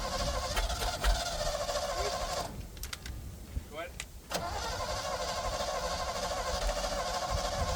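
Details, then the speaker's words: Abandoned 1956 Chevy race car, not run for about 2 years, first start with fuel sprayed into the carburetor. It catches and settles into a steady, even rumble with a brief dip, then runs cleanly. It sounds good and seems to have an exhaust. "hey it actually sounds good it might actually have an exhaust I didn't think it had"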